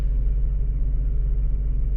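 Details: Mazda RX-8 rotary after swapping in a used oil metering pump (OMP) and moving the sensors over to fix limp mode, engine light now off: steady low idle, even smooth hum, no knocks or misses; idling cleanly.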